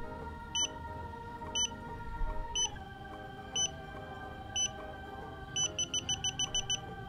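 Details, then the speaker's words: Xiaomi Yi action camera during manual firmware update: sharp high beeps about once a second for about a minute, ending in a quick run before it shuts off by itself; don't power it off or it may brick. "intinya kalau bunyi bip gini itu jangan dimatiin jangan dimatikan kalau misalkan dimatikan itu akibatnya nanti bisa briak briak itu kamera itu enggak mau hidup tapi cuman nyala lampu merahnya di bagian atas itu briak"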